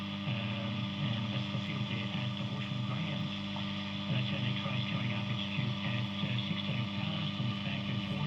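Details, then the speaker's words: Healing 400J clock radio after capacitor replacement, still needing alignment: strong, constant low hum under radio sound; heavy mains hum, cause not found, owner wonders if the clock is involved. "That sounds really rubbish. There's so much hum on it."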